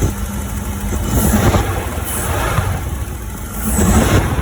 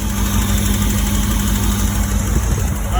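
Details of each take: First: 1985 Porsche 928S V8 after replacing the fuel injectors, running with the air cleaner off. Touching an injector connector makes the idle rough, dipping and surging, before the engine dies. A loose injector connector is the cause. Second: 1985 Porsche 928S V8 after replacing the fuel injectors during an intake refresh, running with the air cleaner off. It starts right up and settles to a smooth, even idle with no stumbles.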